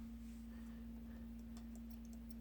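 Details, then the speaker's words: Asus Zenbook laptop left fan running with quiet low hum and light irregular ticking, rattling from a loose, wobbling rotor that cannot be lubricated; fan to be replaced. "so the faulty fan is this one here and you can see that it's like rattling"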